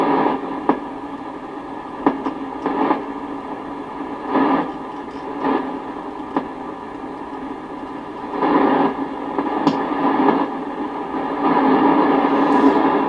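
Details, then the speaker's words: Sony CRF-320 receiver, tuning slowly with volume up: steady static hiss broken by irregular clicks and pops; suspected dirty contacts or a bad solder joint in the pre-selector unit, which needs cleaning. "so it sounds like there's some dirty contacts or something in here maybe a bad solder joint"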